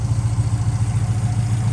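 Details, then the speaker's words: 2002 Subaru Outback Legacy GT, 2.5 SOHC, manual, after new engine swap; temperature good; steady, even low idle with smooth regular beat, no knocks or ticks; normal idle. "so it seems to be running pretty good temperature's good motor's sounding good and this is the final take folks suba uh she gots her new motor"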